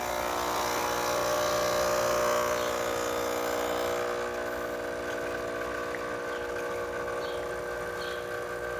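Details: DeLonghi Magnifica test shot after full service and tune-up: steady even pump buzz through the shot, no surging or rattling; brewing normally.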